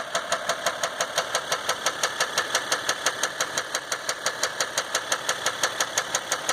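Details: 2015 Dodge EcoDiesel with 18k miles, knock began before second oil change, no check engine light, gauges and oil pressure normal, truck has no power and shakes: sharp regular metallic knock about three a second over quiet diesel idle, cause unknown.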